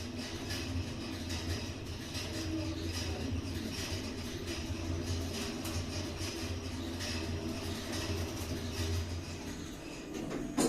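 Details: Schindler 5400 passenger lift installed 2008, 1000 kg/13 persons, six stops, otherwise in good condition; the car travels with a steady low hum and an odd droning tone, an unusual running noise of unknown cause.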